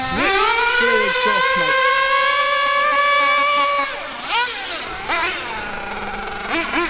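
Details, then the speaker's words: Hobao Hyper 7 buggy with a Mac 28 nitro engine at full throttle in cold weather: a steady screaming high-pitched note held for several seconds, then backing off. The high-speed needle is well set, slightly rich, which suits the cold. "so for me that there is what I would consider to be a good maybe slightly rich but that's good in this cold weather that's what I consider to be a good highp speed setting"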